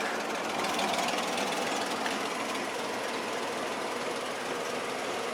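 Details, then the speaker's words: Restored old truck with a twin-carburettor setup from International military 6x6 trucks, now running after a carburettor problem was fixed: steady, even idle with no stumble or miss, the carbs sounding balanced. It runs beautifully. "As you can hear, I've got it running. It runs beautifully now."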